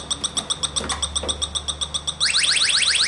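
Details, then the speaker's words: Automotive A/C system, electronic refrigerant leak detector at high sensitivity over the low-side lines: steady shrill ticks about four a second jump to fast rising chirps as it alarms at a refrigerant leak. "right there and that's what you'll hear and see when you come across the leak"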